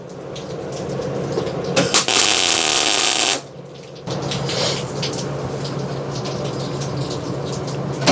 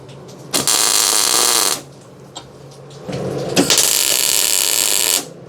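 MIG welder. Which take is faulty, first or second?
first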